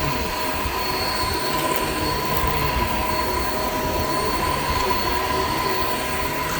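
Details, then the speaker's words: Shark Infinity Pet Care vacuum vacuuming a living room: steady high squeal over the motor roar without letup; the very old brush roll drive belt is shot and slipping, brush roll stopped many times, needs replacing. "all right so as you could hear the belt on this is like pretty much shot like it's it's really old clearly needs to be replaced brush will stopped many many times"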